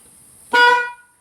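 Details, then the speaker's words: 2012 BMW 335i Convertible M-Sport, ignition on, engine not running, horn pressed: single short honk with only the thin high note, no deeper second tone; low-tone horn behind the left inner fender not working from a bad wiring connection. "and you can see that it sounds weird um and i could tell standing outside the vehicle while i'm doing that that only one of the two sides is working"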